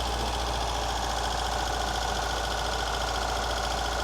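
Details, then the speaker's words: Ford Fiesta XR2i barn find off the road 14 years, first start, cold, plenty of compression: steady idle with lumpy uneven beat, one cylinder dropping out; misfire at idle, cause unconfirmed. "it's missing isn't it yeah I don't want to pull the leads off"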